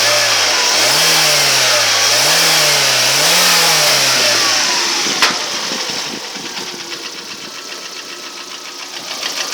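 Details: Lada Priora engine idling after revs rise and fall, regular light tapping about four per second; unexplained knock, present for a year and unchanged, only oil changed in the engine.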